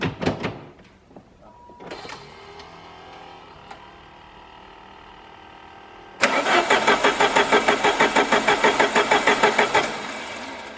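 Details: Chrysler TC project car in neutral with starter fluid sprayed into the intake: starter churns steadily about three beats a second for four seconds and the engine never catches; cranks but will not start, owner suspects starter/fuel pump relay not working.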